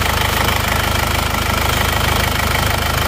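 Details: Warm diesel (a Penta from Tulungagung, road-tested about 60 km, no oil leaks) idles with a fast, even clatter of about three pulses a second over a steady rumble, no misses; thin smoke when hot is normal.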